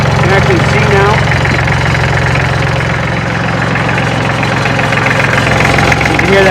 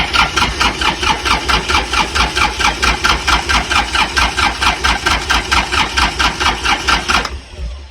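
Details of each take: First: Kubota L3400 diesel tractor, engine still warm, no glow plugs: steady, even diesel clatter with a low regular thump at idle, no misses or knocks; runs healthy after the previous day's work. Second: Hard-used Kubota L3400 diesel tractor on new marine-style battery, first start attempt: starter cranks in an even beat, about two compressions a second for seven seconds, with no firing; cranks but won't start.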